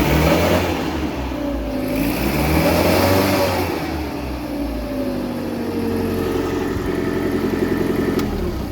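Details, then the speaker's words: Caterpillar forklift with EMCO system, hard start, after regulator work: engine runs with about 5.8–6 inches air valve vacuum, rising as throttle opens; picks up smoothly and settles back, no knocks or misses; normal revving. "right once it starts running you can see it's like 5.8 6 inches and when i open up the throttle this is going to go higher"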